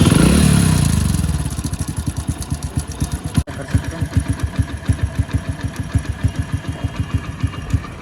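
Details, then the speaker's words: Hero Splendor motorcycle after fixing a noisy timing chain: brief rev dropping to a steady, even idle with no ticking or rattle; engine now silent, normal idle. "के sound में आपको बिल्कुल भी आवाज नहीं आ रही होगी आप बिल्कुल चेक कर लो बकुल साइलेंट इंजन हो चुका [संगीत] [प्रशंसा] है एकदम साइलेंट हो चुका है इंजन"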